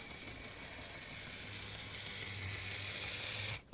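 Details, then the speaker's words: Graham Farish Class 50 N-gauge model locomotive (Poole-type chassis) running: sharp clap-clap click about three times a second, once per wheel rotation, from axle gears on two axles needing replacement. "right that's that clap clap clap clap clap clap that's going around every rotation of the wheel so now um there's either something on the wheel or it's possibly a gear on the wheel"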